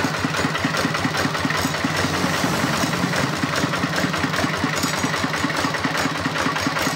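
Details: RD 85 Series S single-cylinder diesel tractor engine that had lost power, started after repair with damaged parts replaced; steady thump around two and a half beats a second, even settled idle with no knock standing out.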